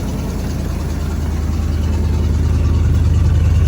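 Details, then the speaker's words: 1991 Ford F250 V8, just started after sitting (with starting fluid): deep loud even idle with raw puffing edge from a terribly leaking muffler and a pipe that is falling apart. "It doesn't have much for an exhaust on here. just kind of goes to a muffler that leaks terribly."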